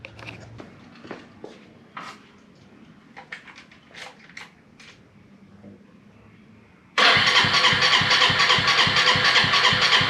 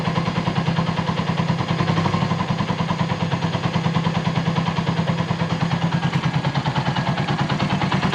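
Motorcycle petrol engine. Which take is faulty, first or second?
first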